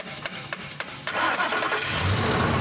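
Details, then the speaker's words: No-crank vehicle: the starter body is tapped with a metal extension while someone cranks. A few sharp metal taps, then the engine catches at once and settles into a steady, even idle, started right up. "and there we go started right up"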